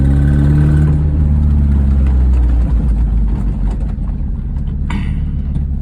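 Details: 1998 MGF VVC engine idling then revving with fast ticking puff and faint squeal; exhaust manifold leak, tightening manifold bolts cured the squeal, ticking reduced; oil had been low and topped up with 10w40.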